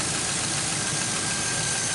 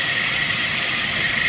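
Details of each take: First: 2005 Chevy Envoy, about 178,000–179,000 miles, idling after the serpentine belt and pulleys were replaced over an earlier pulley noise: steady, even idle with a smooth belt hiss, no squeal, chirp or rattle; accessory drive now sounds good. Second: Engine with thin, steady high whine over engine hiss from the serpentine belt drive; owner suspects an idler pulley bearing, possibly alternator or AC compressor bearings, not confirmed.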